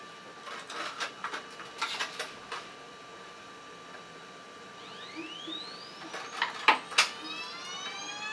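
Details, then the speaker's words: Ultimaker 3D printer loading PLA filament, feeder motor starting once the nozzle reaches temperature: thin, steady high hum with a few light clicks and rising chirps; normal feeder operation. "Then, when the temperature is reached you will hear a little engine noise and you will be able to insert the filament in the back."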